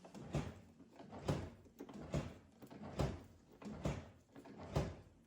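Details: Volvo 740 rear door lock actuator: six short motor buzzes ending in soft clunks about once a second; actuator runs but the lock does nothing, mechanism suspected seized or gummed up; seized door lock mechanism.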